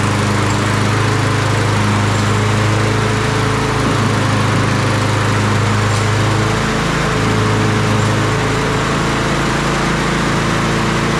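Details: Lawn-Boy push mower with Kohler engine after oil change, new spark plug, new air filter and sharpened blade; smooth even beat with no misses or surging; normal running.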